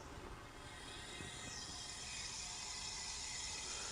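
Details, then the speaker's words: BMW E46 A/C recharge after an M54 rebuild, engine off: steady hiss of refrigerant flowing in from the can until pressure equalizes, with no sharp leak hiss, so the system seems sealed. "And you just want to wait until it equalizes, until you don't hear it anymore. So far, so good. I don't hear any leaks."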